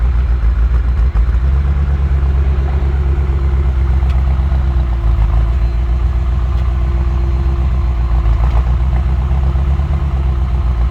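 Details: BMW M6 V10 idling with a deep, lumpy beat and wavering tone, two injectors misfiring and shut down, leaving two cylinders dead.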